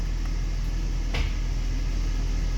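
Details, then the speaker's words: Hummer H3 at steady engine idle: transfer case actuator (transfer case motor) shifting into four-wheel low lock gives one solid locking knock, showing the actuator engages normally; owner notes H3 forks often break, but dash buttons or the actuator may be at fault instead. "listen carefully for the actuator or the transfer case motor to engage and you will hear that locking sound"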